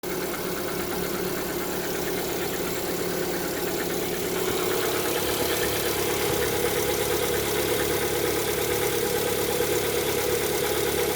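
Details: Lada Vesta, 11,000 km, cold engine: idle with a light, fairly regular tapping about three per second over the engine; owner attributes it to piston knock on cold start.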